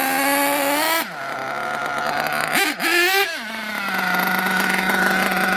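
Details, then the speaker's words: RC nitro engine being tuned: after a throttle burst it runs on and hangs at a raised, buzzy idle instead of settling low; idle gap too wide, bottom end too rich, possibly high speed slightly lean. "You hear that high idle, that means the idle gap's too wide. Or possibly the high speed's a little lean too."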